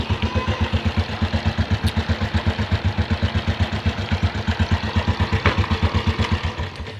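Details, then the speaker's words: Honda Blade/Revo Absolute/Supra-type small motorcycle engine idling with a busy, clattery rattle over its steady low beat. Loose cam chain, worn from age or long mileage. "Oke, di sini yang terdengar jelas adalah suara dari longgarnya rantai temeng. Rantai temeng bisa juga disebabkan karena memang dia sudah waktunya ganti karena kelonggaran ataupun jarak tempuh pemakaian yang lama."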